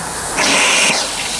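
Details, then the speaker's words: Steam boiler at about 120–125 psi: injector sucks water from the container but discharges only to overflow/drain, not into the boiler; loud steady hiss and water rush. A second injector also failed; a replacement from England is awaited. "so it's sucking water out of the container and it's just going out the Overflow and I can't get it to go into the boiler just drain"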